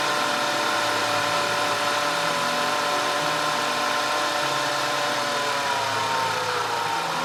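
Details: 2010 Audi A5 2.0 TFSI Cabriolet after fixing random and cylinder 4 misfires (P0300, P0304, P130A): smooth, even idle with a steady mid-pitched drone and no stumbling or skipped beats.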